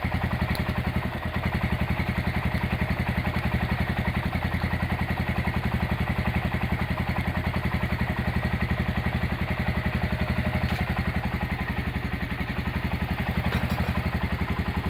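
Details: Honda GL100 single-cylinder engine after rebuild with new Aspira piston and CDI ignition, valve clearance 0.10: steady even beat at idle, no tapping or clatter; smooth healthy idle.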